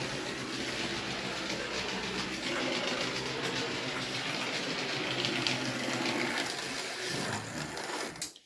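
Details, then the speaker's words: New 2023 Hornby Railroad M&GNJR 0-4-0T 'D' tank No.100 (R3031704) running: small motor whirs with rough gritty hiss and fast uneven chatter, loco wobbling; white lubricant blob on a wheel, cause unknown, sounds unusual, 'a bit like a diesel'. "but I can't understand why it's all wobbling about making so much noise other than you know it's a railroad model but it just sounds unusual"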